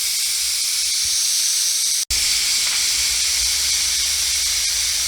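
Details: Presto digital canner after a 90-minute ground beef process and cool-down countdown: loud, steady, high-pitched rushing hiss with one brief break, the normal steam release.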